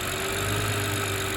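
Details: BMW after replacing a torn PCV (crankcase ventilation) valve that was blamed for an engine screaming noise: steady, even idle with a smooth low hum and no screech or hiss; normal idle.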